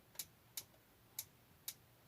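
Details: Whirlpool WTW4816FW1 top-load washer: sharp, dry ticks about every half second with no water as it fails to progress its cycle; owner suspects hub or transmission after replacing splutch, sensor and lid lock switch.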